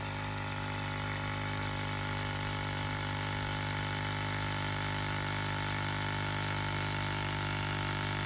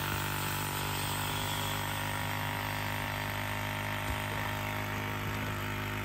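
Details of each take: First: 1999-07 Ford F-250 Super Duty Power Stroke (7.3 or 6.0) vacuum pump drones continuously without cutting off due to a vacuum leak, with defrost-only HVAC airflow and non-working 4WD hubs; suspected slit vacuum hose. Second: Electric vacuum pump on a 1999-07 Ford Super Duty (7.3/6.0 Powerstroke) with the system reconnected after vacuum-leak diagnosis: steady, even low hum as it builds vacuum normally and should cut off quickly.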